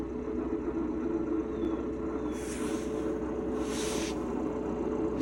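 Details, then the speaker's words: Ford Bronco (built August 2022) with MT88 manual gearbox under TSB: steady drivetrain drone with faint intermittent scraping rasp; shifting against the sixth-gear gate to test for worn sixth-gear synchronizer rings, which the dealer confirmed and fixed by replacing the transmission. "so if the noise stops that proves that the synchronizer rings for fifth and sixth gear or in this case just six gear is the issue"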